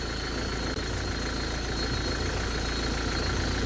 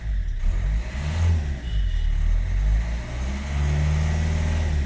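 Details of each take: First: 2010 Hyundai Verna 1.5 CRDi U1 diesel before a Liqui Moly Diesel Purge treatment, heard from outside at a distance: rough, clattery idle with a harsh uneven knock over a steady rumble; the owner says noise has increased with age. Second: 2010 Hyundai Verna 1.5 CRDi U1 diesel after Liqui Moly Diesel Purge in the tank: a deep diesel note climbs and falls smoothly through each blip with no knock or rattle; the idle is softer and less harsh than before.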